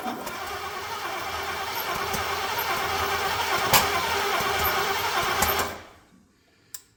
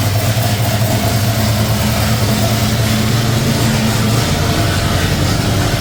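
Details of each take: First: C30 truck engine on its first start attempt, using ignition parts taken from another truck. Uneven cranking with sharp pops coughing back through the intake about every second, then it dies; ignition timing is 180° out, and the distributor was then spun. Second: C30 truck engine with ignition parts swapped in from another truck, running on fuel poured into the carburetor bowls: a steady, even, low V8 rumble at a settled idle with no misses or knocks. It runs smoothly.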